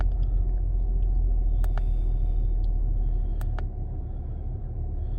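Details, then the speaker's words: 2005 Acura TL at idle, which also has a bouncing tachometer: a deep rumble with a regular stumble three to four times a second. This is an obvious misfire, but the scanner shows no misfire count on any cylinder. "there's obvious misfire going on right now but it's still not detecting"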